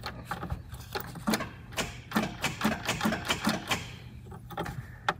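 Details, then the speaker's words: 1976 Datsun 280Z after sitting: key turned with power restored, a string of sharp uneven solenoid clicks with no cranking beneath; solenoid tries to engage but starter does not run. Seized starter motor suspected. "nothing you can hear the starter solenoid trying to click over but the starter is not running"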